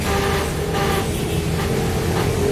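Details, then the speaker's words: Soul GT scooter electric starter, ignition on: steady high whirring spin with no cranking beats, starter only spins freely without turning the engine; mechanic suspects worn one-way starter clutch rollers not gripping. "Jadi dia bunyi, tapi nggak mau apa namanya, cuma muter aja itu teman-teman."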